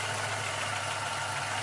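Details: GN engine rebuilt under 150 miles ago, in break-in with town driving and no overboosting, idling with a faint even light knock. Disconnecting spark plugs one at a time made no difference; owner fears a wrist pin or a crank/cam fault, source unclear.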